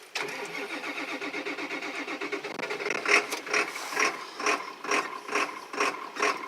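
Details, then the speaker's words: 1999 Ford Super Duty 7.3 diesel with a 1994.5 high-pressure oil pump with check valves installed, jumped from another truck, cold day, old summer diesel, owner suspects air in the line: slow, laboured cranking at about two compressions a second, never catches. Slow cranking, no start. "this is air in the line or something it's probably a mixture of old diesel I think I've had the diesel in here since the summer so it's not the winter stuff and it's pretty cold out"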